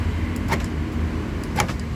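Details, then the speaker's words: 2010 Isuzu Panther LS Turbo, engine idling: central locking tested, two crisp, quick lock clunks about a second apart as the actuators snap over cleanly; normal central locking operation. "Central locknya itu ya, gerak. Nah, berarti central locknya ini masih normal."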